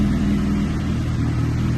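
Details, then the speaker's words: Police-auction, neglected K9 Suzuki GSX-R1000, warming up after first start: steady, even idle with a smooth low drone, no rattles or knocks; everything sounds good. "So it runs. Everything sounds good, but we've got to give it the proper GSXR test."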